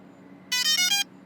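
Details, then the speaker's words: DJI Phantom 3 Professional drone powered on by pressing the power button once then again: short bright rising chime of a few quick notes over a quiet hum; normal loud startup tone. "to do this press this button once press it again it's going to make a loud"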